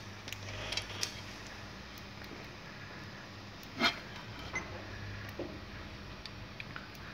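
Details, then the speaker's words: Dual-output 5 V/12 V SMPS with no output voltage and no bulging capacitors: sharp, irregular ticks a couple each second on power-up; hiccup-mode ticking from a faulty frequency-setting capacitor. "Şu an duyabiliyorsanız cihaz tık tık tık yapıyor. Şimdi tık tık tık tık tık vuruyor."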